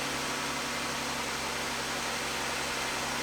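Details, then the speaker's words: 2015 Jeep Grand Cherokee with engine ticking, after repair and reassembly: steady quiet low hum at idle, no top-end ticking or tapping; fix confirmed. "go ahead start it up Drew all right so it's nice and quiet that's what we wanted"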